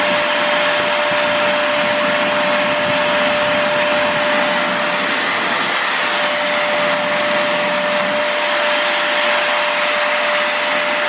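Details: Multilaser HO03 1000 W 2-in-1 stick/handheld vacuum running empty during power-use test: constant thin whistle over airflow rush, unchanging pitch; annoying high-pitched motor whine.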